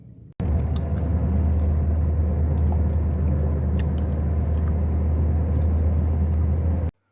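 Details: Toyota Corolla (2012–14 model) with complaints of occasional misfire, sluggish pickup and poor fuel economy; fuel pump and injectors were said to be fine. Here it gives a smooth, even low idle rumble with no stumbles or misses.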